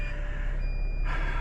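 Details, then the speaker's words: Tiffin Wayfarer diesel motorhome, start from the cab with the rear-view camera installed: a steady electronic beep-beep over the low diesel rumble right after start-up, warning that the auto levelers are still down. "And so everything's off right now, and I start the engine, and you're gonna hear the beep beep beep because I've got"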